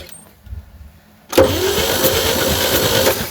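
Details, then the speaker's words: 1960 Chevy C10 235 inline six, sat about 40 years, cranking: about four uneven, lopsided chuffs a second. Suspected stuck valves: compression on 3 and 4, partial on 2, none on 1 and 6. Low compression. "Well, we got some stuck valves. We got compression on 3 and 4. Absolutely nothing on 1. Kind of 2. 3 has some, 4 has some."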